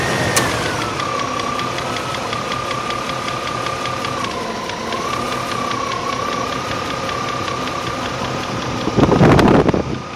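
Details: 1998 Range Rover P38 4.6 HSE V8 at steady idle with a fast light tick, roughly three or four a second, over the engine note; owner hopes it is a worn cam with one tappet bouncing, unconfirmed.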